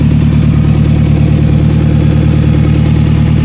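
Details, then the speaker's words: 2000 Toyota Camry just repaired after a failed ignition coil, started in cold weather: loud, deep idle rumble with steady chuffing pulses from an exhaust leak at a totally rotted-out flex pipe, little coming from tailpipe. "The exhaust leak has gotten a lot worse. Yeah, it's loud now."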